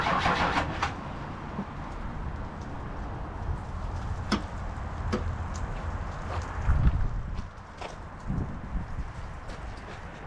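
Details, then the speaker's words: 1994 2500 truck after a new fuel filter: uneven cranking bursts with brief stumbling catches that never settle into idle. Air is trapped in the fuel system, later bled by cycling the key and pulling the hose at the fitting until fuel shot out. "That way it kind of pushed all the air out of the system out of the filter."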